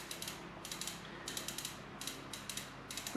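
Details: Bicycle rear wheel spun freewheeling during reassembly after bearing and freehub work: even, rapid ratchet clicking in repeated bursts about every half second; crisp, healthy pawl engagement.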